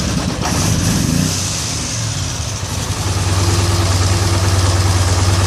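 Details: 2013 Polaris Sportsman 850 XP HO twin returns to idle after a rev but stays lumpy and uneven; code 520194-7 throttle stuck, TPS voltage can't be set, new TPS, swapped throttle body and IAC, cleaned T-MAP, no change; cause unknown.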